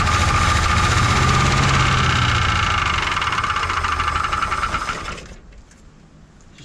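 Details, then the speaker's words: 1970 Ford bumpside truck sitting over 20 years, first start: engine runs with a steady clatter of about four beats per second and a thin whine before being shut off; oil pressure halfway up the gauge, cause unclear. Abnormal engine noise. "started to make a little bit of noise so I shut her down"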